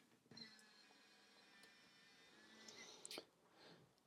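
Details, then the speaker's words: Pentax Espio 160 film camera zooming its 38–160mm lens: a thin, high electric whirr for about two seconds, ending in a small clack. Normal but noisy zoom motor. "And of course you can zoom it out at any stage. Quite noisy uh zoom as you can"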